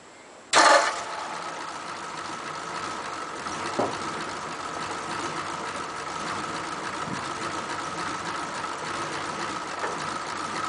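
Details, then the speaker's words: 1941 Ford pickup, carburettor previously flooding, engine still warm after about half an hour: brief crank catches almost at once, then steady even idle without stumbling; normal hot start. "but the engine is still warm put about half an hour but what I hope I couldn't show you is that if everything is set up nicely it should start virtually on the first turn"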